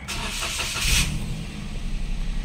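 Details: Toyota Wigo after replacing the key remote battery, clutch pressed: brief starter crank, then the engine catches right away and settles into a steady, even idle; a clean, healthy start.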